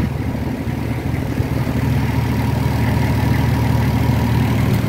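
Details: Nissan Patrol Y60, TD42 turbo diesel, first start after 9 months in storage (since July 2024, battery disconnected, ~3-year-old battery), started first try: steady, even low diesel rumble settling into a smooth idle, no knocks or misses; normal idle.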